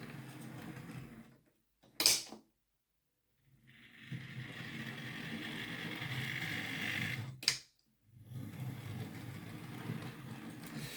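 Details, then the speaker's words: Used Hornby R2959 Thompson L1 2-6-4T, before any fix, on an unpinned test track with no underlay: gritty, grindy gear hum going forward, quieter in reverse. Owner thinks it might be a lubrication issue. "You can maybe hear it's a little bit um grindy going forward but quiet in reverse."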